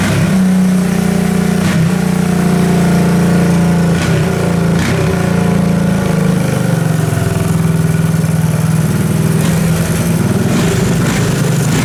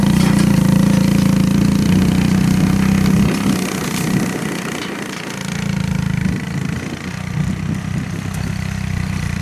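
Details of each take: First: 1984 Honda ATC three-wheeler, single cylinder, free revival, first start after cranking with a little gas: runs steadily with a fast even putter near 200 beats a minute, no misfires, knocks or rattles. Normal running. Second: 1984 Honda ATC three-wheeler, single cylinder, riding in first gear making a track: thump sags and stumbles, recovers, dips again, acting out of fuel with gas in the tank. Carburetor cleaning planned. Fuel starvation.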